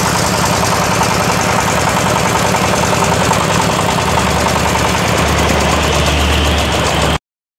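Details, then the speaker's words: Yamaoke ZS1100 16 hp (16.5 hp max, rated 2200 rpm) direct-injection single-cylinder marine diesel on test, throttle raised: steady beat at about three and a half firings a second, no misses or knocks; normal running. "Động cơ diesel hàng hải, vâng, đây là loại 16 pk. Loại zs 1100 này đang được thử nghiệm."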